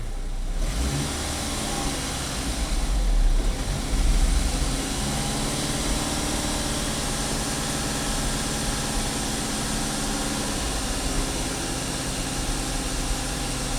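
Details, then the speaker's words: 2011 Chevy Equinox 2.4 L direct-injected engine with long-running stall under acceleration load: revs raised then gently let down, engine stumbles and runs lopey and rough; O2 sensor barely switching, stuck in open loop, misfire code; cause undetermined, EGR merely mentioned. "It's starting to stumble right now. Almost like a lopey, you know, like the EGR valve stuck or something."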